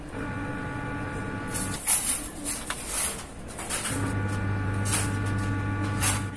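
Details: Amplifier speaker with a steady low buzzing hum and hiss.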